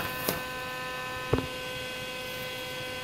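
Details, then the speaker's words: Harbor Freight 90 A flux-core welder after DC conversion with bridge rectifier and capacitor, switched on idle to hear the cooling fan: steady mains hum with soft even fan whoosh, no buzzing or rattling; normal. "go ahead and turn this on just so you can hear this fan I'm going to show you how much airflow it puts out"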